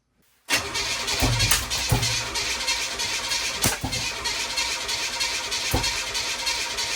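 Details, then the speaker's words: 1981 Oldsmobile Cutlass with a new starter fitted, the engine possibly blown; strong, even cranking at about three turns a second with steady speed and no grinding; much better than the old starter. "new starter is [Music] in that is immensely better"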